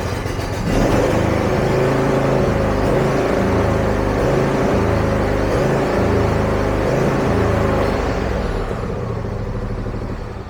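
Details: John Deere zero-turn mower small engine, with the fuel filter and pulse line already replaced and the gas cap off to test venting, which didn't fix it; the beat wavers, rising and sagging. Idle hunting / surging, cause unconfirmed.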